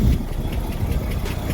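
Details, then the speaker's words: 1993 Ford EB Falcon, 211,000 km, idling on ramps before catalytic converter replacement: uneven, lumpy idle with a dull irregular knock in the low rumble; runs rough, owner suspects ignition timing is off and hopes a new cat helps. "not running the best. So got a few things to fix up. I'm going to turn down cuz it doesn't sound like it's timed right."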